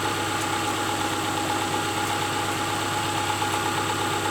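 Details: A 2002 Subaru Outback 2.5 idles after its new alternator/power steering belt was fitted, replacing a snapped one, and the bolts were tightened. A quiet, even idle hum with no belt chirp or squeal. Normal idle.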